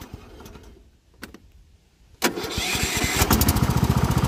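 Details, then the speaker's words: Cub Cadet riding mower revived with new Kevlar belt, oil change: started without choke, one short crank and it catches straight away, settling into an even, steady healthy run. "it runs really really good let's see if we can fire it up without the choke see how easy it starts"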